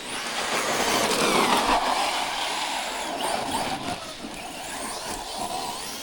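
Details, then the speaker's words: Traxxas Rustler 4x4 Ultimate while driving: harsh raspy grinding over motor whine during acceleration and coasting; inspection pointed to the pinion (gear mesh). "Oh, okay. That to me sounds like mesh. Yeah, that's mesh, guys."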